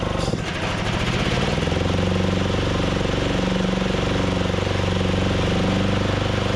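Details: Craftsman DYT4000 Briggs & Stratton mower, cold start after a new fuel pump and deck belt, electric PTO engaged: a single-cylinder thump sags and nearly stalls, then recovers. Spindles and belt were seating; carb issues suspected.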